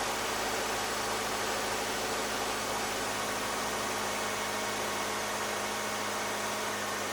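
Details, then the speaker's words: 2008 Subaru Outback, EJ25 non-turbo 4-cylinder, 5-speed manual, about 96,000 miles, cold and warming up in closed loop: steady even idle with constant hum and hiss, no misses; normal cold idle before the coil fault appears. "all right so this is what I call the happy idle state so basically the engine's cold it's kind of warming up"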